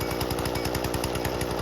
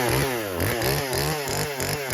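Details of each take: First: Husqvarna 120 Mark II two-stroke chainsaw, carburetor tuning: fast even buzz at raised idle with rapid steady rattle; idle screw turned in until the chain just starts creeping, before low-jet adjustment. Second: Husqvarna 120 Mark II homeowner chainsaw at full throttle cutting after carburetor tuning: throttle blips, then a clean, steady high-pitched scream that holds pitch under load; carb set right, normal cutting.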